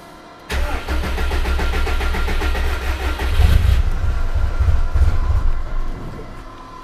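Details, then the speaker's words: Yeti sled engine on a newly fitted Link G4+ Thunder ECU, first start after about six months unused, oil system pre-filled with a home-built pre-oiler: catches after cranking, runs ragged and lumpy with no smooth idle; cold-start fuelling needs adjustment. "it's a very good sign cold start has need some adjustment while the looks of things hasn't been started in about six months"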